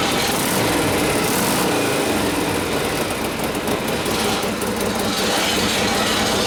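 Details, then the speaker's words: 1967 Harley-Davidson 74ci Shovelhead FLH after transmission rebuild, running with a rough gritty grind over the V-twin: kicker ratchet gear tying up on the main shaft. "what check it one down and back up that easy means the kicker ratchet gear love it"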